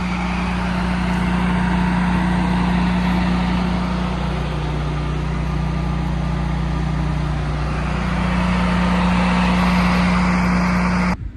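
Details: Liquid-cooled generator running, compared against an air-cooled unit about 90 ft away: a loud, steady drone with an even low hum held for ten seconds, then cut off; running normally.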